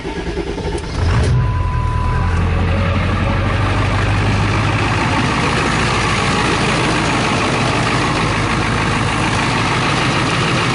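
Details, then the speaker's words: 2000 Ford F350 7.3 Power Stroke diesel nearing 500,000 miles, cold start in upper-20s °F without glow plug relay: after a second of cranking catches, settles into steady, even clattering idle, no misses or knocks; sounds healthy. "it's obviously cold upper 20s I think yeah again I haven't put a glow plug relay in this thing yeah so we'll just do it this way that sounds healthy right"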